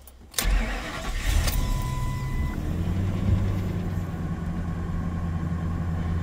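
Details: Ford V10 truck, about 390,000 miles, after clearing codes; brief crank catches quickly into smooth steady idle with no misses or knocks, no check engine codes returned.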